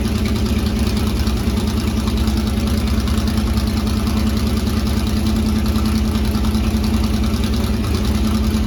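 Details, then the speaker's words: C3 Corvette V8, first start after fitting side-pipe headers (running open headers): very loud, raspy, fast steady idle with throbbing exhaust pulse; idles high only when cold, owner suspects the choke, plans tachometer to check rpm. "It is open headers, but the car is also idling high still. So I'm going to order a tachometer so I can see the RPMs instead of just guessing."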